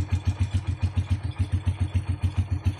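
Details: CT100 single-cylinder motorcycle idling after a tune-up with valve clearance set to 0.04 intake and 0.06 exhaust. Even, steady thump at about six or seven beats a second, no ticking or misses; a healthy idle.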